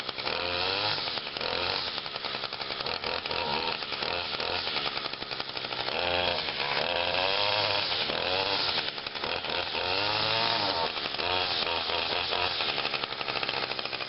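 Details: Trimmer, run briefly last week, started on choke with five primes: fires first pull into a bright high two-stroke buzz, steady with light throttle swells, no misfires or stumbles; normal running.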